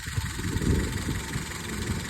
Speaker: Okay, let's have a look at this uh misfire on cylinder four. Uh so, it's going to either be the ignition coil or the injector.